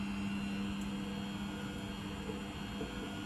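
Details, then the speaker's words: Beko WTG620M2W slimline washing machine drain and spin test: the drum spins up with an even, steady low hum and no knocking or scraping; not too loud. Normal spin. "looks like it's going to spin up i think this machine on especially on the spin and drain sounds just fine doesn't sound too loud"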